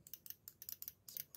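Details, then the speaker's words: Car relay with its coil (terminals 85/86) powered from 12 V: a quiet run of sharp, crisp clicks with no buzz or chatter; relay works and is ruled out as the fault. "Vous écoutez là. Vous entendez là. Donc, le relais fonctionne. Ok, donc ça ne vient pas de lui."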